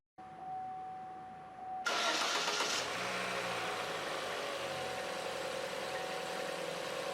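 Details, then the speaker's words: 2014 Chevrolet Cruze 1.8L four-cylinder after timing belt and water pump replacement (old pump was noisy): brief starter whirr, quick catch, smooth steady idle with no whine or ticking; everything in time, water pump now silent. "as you can see the engine is running great everything is in time the water pump doesn't make any noises"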